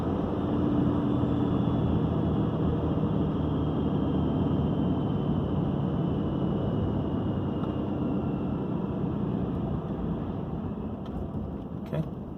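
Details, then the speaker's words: 2012 RAM diesel, VGT turbo (HE351) rebuilt, cruising at 65 mph with the exhaust brake on: steady even drone with a faint constant turbo whistle, no surging, flutter or knocking; healthy. "so that's cruising at 65 the exhaust brake is on I'm going to turn up here just a bit let the gas up right now"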